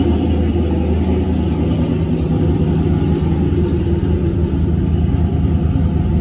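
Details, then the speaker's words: Turbo LS V8 in a Caravan, idling after first key start following rewiring; some pushrods and rockers replaced: deep, steady, even rumble with no lifter ticking from the top end; oil pressure about 50 psi (348 kPa); normal idle. "there's no lifter ticks like this engine has been running in a couple of years before the other day i fired up for like 10 seconds and there's no lifter noise at all"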